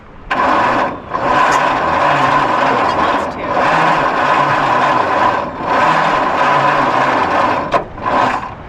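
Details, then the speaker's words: Abandoned 1953 White WC, first start attempt in 30+ years on a 6-volt system with starting fluid and carburetor stuck wide open; slow, labored starter churning in long bursts, harder to turn as it tries to fire, never catches. "It's It's harder to turn cuz it's trying to fire."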